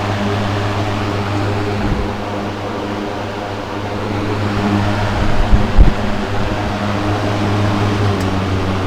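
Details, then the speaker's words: Mid-1970s Manning Bowman 3-speed box fan with new cord on high: strong steady low hum and even blade whoosh, pretty high RPM, no rattle or scrape; runs smooth and healthy. "Put a new cord on it. Here's high. Pretty high RPM."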